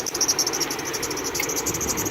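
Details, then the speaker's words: Car engine running with constant high rapid chirp from belt/pulley area, persisting after three mechanics moved pulleys and changed the belt tensioner, before baking soda fix; steady chirp over engine, source unconfirmed. "ahorita pueden pueden ver de qué y escuchar de que este sonido está siempre constante"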